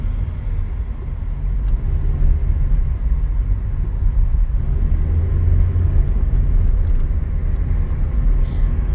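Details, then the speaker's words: Toyota Corolla at 100,000 km, road test after correcting wrongly assembled shock mounts and wrong-size stabilizer bushings: steady low road rumble, no clunks or knocks over bumps; the suspension noise has stopped. "eu sou capaz de afirmar para vossas senhorias que o barulho que estava incomodando o nosso inscrito parou"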